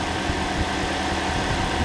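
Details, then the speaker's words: Toyota Corolla engine just refitted, idling after first start, before coolant filled: steady even low idle, constant fan whir, no knocks or misses; no engine lights, engine healthy. "Right, what I'm going to do now is put water in it. Sounds nice."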